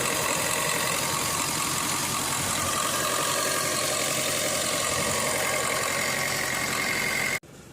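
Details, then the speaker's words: Suzuki Swift Dzire AMT diesel with AC not cooling and codes for an engine coolant temperature sensor circuit; a raised steady idle near 1500 rpm with constant rough shake and vibrating accelerator; sensor wiring fault suspected; high idle. "ഇതിപ്പോ നമ്മൾ accelerator കൊടുക്കാൻ തന്നെയാണ് ട്ടോ 1500 R PM ഇരിക്കുന്നത്. ആക്സിലേറ്ററും ഇനി ഇതുപോലെ vibrate ചെയ്തുകൊണ്ടേ ഇരിക്കും."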